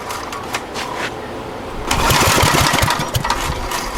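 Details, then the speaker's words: Abandoned Generac generator: pull-start cranking at about three pulses a second with no firing or catch. No fuel getting through; crank no-start from fuel starvation. "Alright. I'd say it's not getting any juice. Ah well."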